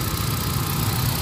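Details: After fixing a no-spark misfire by replacing the ignition coil: steady, even idle, smooth low rumble, no vibration or stumble; check engine light cleared, healthy.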